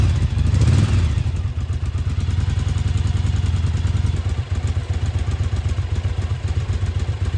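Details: Restored Yamaha Virago 1000 V-twin idling on its first start in about a year, after a new starter, fresh gas and new intake and exhaust gaskets: low, steady idle with an even thump about four times a second and no clatter. Running smoothly.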